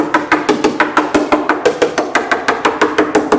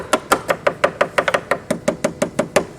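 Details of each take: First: Bellanca Viking wood wing tap inspection around a glued repair under AD 76-08-04; crisp, even taps about three a second, sharp and ringing with no dull spots: solid glue bond on tap test. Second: Bellanca wing, tap test at number 2 tail rib near inboard flap end: crisp taps about six per second, some duller where the wooden rib is rotten, solid elsewhere; rotten wood rib.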